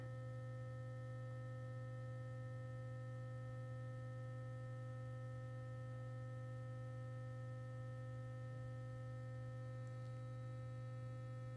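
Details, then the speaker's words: Sonicare HealthyWhite+ toothbrush running a cycle: steady unchanging low buzz with no tone change at 30 seconds; owner suspects the timer was switched off in settings, so no interval pulse. "well it didn't change town and that must mean that I when I was playing around the settings I must have turned the timer off"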